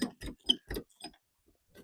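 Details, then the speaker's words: Caravan KARTT heavy-duty jockey wheel being wound: crisp ratchet clicks about four a second, slowing as winding stops; anti-unwind lock working normally for towing. "It goes well over hard standing, over the cobbles and stuff like that, and when you wind it, you can hear it click. And that's an idea so it can't unwind while it's been towed down the road."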